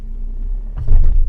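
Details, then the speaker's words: 2015 Audi A4, 83,000 km, pulling off gently then tapping the brake: low rumble then one hollow thump; front control arm (big arm) bushings worn loose, causing clunk, alongside squeaks over bumps and braking. "点刹，听见了吧？空空的。不用起特别猛啊，就轻微一点，正常的起步。点刹的话，脚距一点它一松，一点它一松，就已经能明显的感觉到大臂它那个两个大胶套已经旷了。"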